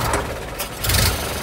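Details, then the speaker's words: 1929 Ford Model A, partly restored, that sat in a barn two years: the engine runs unevenly, surging and sputtering. It holds only at a mid-throttle sweet spot, then stalls; the cause is unknown. "it's like a sweet spot like about halfway in halfway out and then it'll stay but then it'll stall out"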